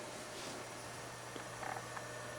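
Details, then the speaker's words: HP Pavilion Slimline s3600t (Core 2 Quad Q9300, 9800GT) with Shuttle PC50 300W PSU after the third 3DMark session plus Prime95 on the CPU. Only a soft steady low hum with faint hiss, never louder, no rattle or whine; normal under load. "I never heard it get any Louder Than This"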